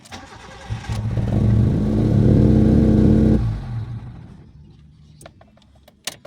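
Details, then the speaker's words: Mitsubishi GSR, manual, that dies on first start and hunts RPM, worse with the aircon on: it cranks, catches, revs roughly and dies. Adjusting the throttle and air did not help; the throttle body's air passages were clogged. "Natanggal na namin yung throttle body kasi kahit anong adjust ko dito sa may throttle tsaka sa hangin so ganon pa rin siya Nat taas baba Ayan Gawa nung puno ng Bitag"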